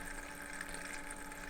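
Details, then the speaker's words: Thermalright 360 AIO on a test bench, pump switched back to 80% from 100%, CPU at idle: soft watery bubbling and trickling that comes and goes over a low steady pump hum, from air trapped in the pump. "see this see bubbly the bubbly sound is coming back just come and goes come and goes"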